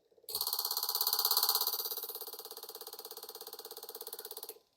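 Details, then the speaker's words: Front-wheel-drive car's ABS module on a bench tester after repair of a TCS valve fault that caused brake locking: crisp, even, strong buzzing clicks about three per second; valve actuates cleanly, repair judged good pending road test. "자, 이렇게 수리 후에 작동이 잘 들리는 거 봐서 수리가 잘 된 걸로 판단하고 실차에서 테스트 하면은 잘 될 겁니다."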